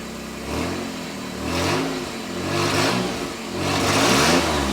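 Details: Nissan Z31 project after fuel tank install, fuel pump at 9 volts, earlier no spark until a connector was replugged: revs rise and sag unevenly and the engine stumbles, spitting and sputtering under throttle; cause unconfirmed.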